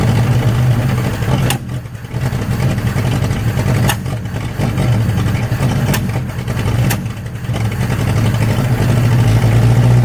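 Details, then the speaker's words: 1963 Nissan Junior ute, sat 15 years, carburetor leaking: low, uneven running with periodic dips, won't idle, runs better with choke held. Owner suspects it runs out of fuel at idle; rough running. "Well, she runs. Don't want idle though. Seems to be maybe running out of fuel at idle."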